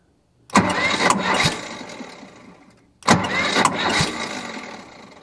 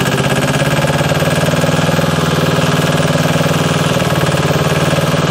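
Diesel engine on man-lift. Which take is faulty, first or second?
first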